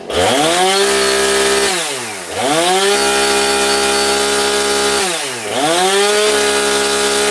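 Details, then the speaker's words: New Husqvarna 460 Rancher chainsaw, first start out of the box, apparently already tuned: clean rising and falling tone on throttle blips, revving crisply and settling evenly; healthy, well-running saw. "Sounds like it's running really good right out the box. So, that's that's nice."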